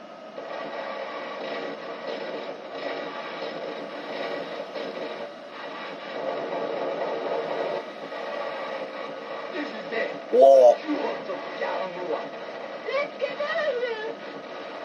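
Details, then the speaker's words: 1991 Sega Rail Chase arcade PCB on Y hardware, after repair. Game voices and sound effects come through clearly again over a light static hiss from poor speakers. The static may be a grounding issue or the volume set too high. "The sounds are back. It's a little staticky, but all right. The these things are all back. This sounds pretty good."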